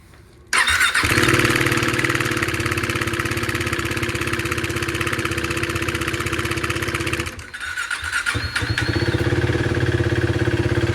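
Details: 2016 KTM Duke 390 after replacing the timing chain tensioner (bolt torqued to 8.5 Nm): it catches after a short crank and settles into a steady, even single-cylinder idle with no rattle or ticking, much better. Normal idle.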